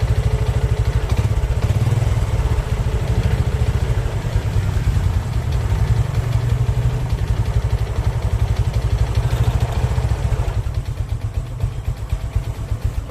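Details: Honda Karisma motorcycle engine, old and never opened, rough engine noise at idle: heavy regular low knock on every beat, steady; connecting rod knock suspected.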